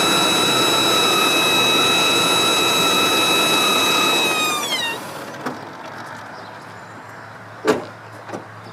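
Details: 1997 5.7 Vortec V8: a loud steady high-pitched whine at idle that seems to come from the top middle of the engine. It starts only after the engine warms up and slides down in pitch at shutdown; source unknown.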